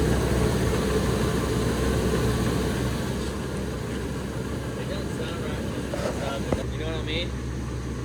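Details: 1999 Ford F250 Triton V10 first start after replacing leaking exhaust manifold gaskets and seized or broken studs and fitting the Y-pipe: steady, even idle under a loud rush of fan air, no exhaust tick. Normal idle.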